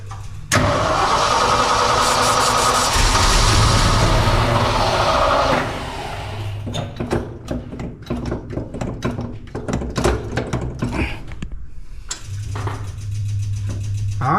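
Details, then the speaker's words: Old fire truck cranked with the gas pedal pumped: the starter churns rhythmically with short bursts that never catch. No fuel reaches the carburetor; the owner suspects the fuel pump, though he can feel it pumping. "well we ain't getting nothing we ain't getting nothing I swear that's a fuel pump right there and I know it"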